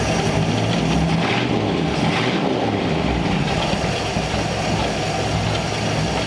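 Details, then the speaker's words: 1934 Ford Tudor V8 just started cold on a freshly rebuilt Rochester carb, before idle mixture set: deep fairly even idle rumble, improved though a slight miss remains, old plug wires suspected. "we gotta let it warm up before we set the idle air mixture but it already sounds like it's a little better"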